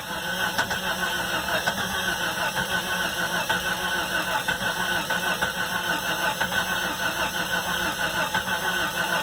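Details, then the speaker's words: 1992 Jeep Cherokee XJ, 4.0 litre straight six, on a 70-degree day, with the crankshaft position sensor wire connected: starter cranks in steady slow pulses but never fires; no tach signal, still a crank-no-start, and fuse box checks come next. "And now we don't have a tack signal. Still don't have a Jeep. Still don't have a Jeep!"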